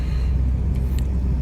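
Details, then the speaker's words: 2001–2004 Chevy Optra after replacing strut and torn-boot CV axle, driving while turning right: only even low road rumble, no clunks or knocks; the clunk came from the CV axle, now fixed; normal driving. "Oh. I think it's already fixed. No more sounds."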